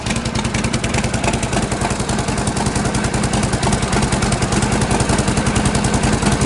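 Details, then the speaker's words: 1952 Harley-Davidson Panhead, first start after sitting six months, choke off, spark retarded, started on a single kick: loud, even loping beat about two hundred pulses a minute, no knocks or misses; running healthy. "That's not bad, a single kick. Sounds good, too. Well, she always sounds good."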